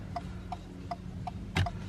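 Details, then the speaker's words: 2020 Ford Focus MK4 Active after fixing a bent connector pin that caused CAN Bus faults and dead indicators: crisp, even ticks about every third of a second over a low hum; turn signals now flash normally. "Indicators work, which they didn't before, which I didn't show"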